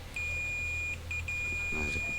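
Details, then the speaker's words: MacBook Pro 16-inch 2019 A2141, totally dead, SSD 0.9V rail: steady high-pitched continuity beep, one short break, as probes touch; rail shorted, two capacitors detected shorted or hot to be removed with a blower. "Nah seperti kita dengar tuh ya bunyi tit, berarti short. Kita akan angkat dulu kapasitor yang tadi terdeteksi, 2 kapasitor di sini."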